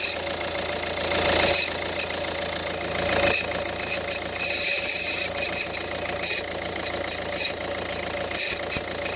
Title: Ford focus 1.6 engine grinding noise